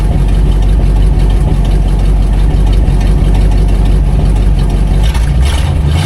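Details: 1959 Plymouth Fury V8 running after new fuel pump and upgraded oil filter housing seals fixed the oil leak: deep steady even rumble, responsive, no knocks or ticks, slightly smoky; runs good.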